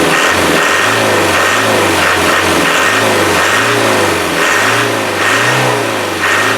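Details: Land Rover 300Tdi pickup that has sat since August, with air in brand-new 8 mm fuel lines: diesel surges and sags about once a second, never revving cleanly; owner suspects the lift pump is drawing air.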